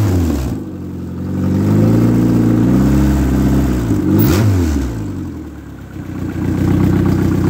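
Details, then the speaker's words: Ex-race Neon four-cylinder on a floor test stand, warming up: smooth, even run rising and settling with throttle, no knocks or ticks; no coolant bubbles, compression 180/180/175/180 psi, great oil pressure, healthy short block. "that is good that's a good healthy short block and it's got great oil pressure this is a nice little engine"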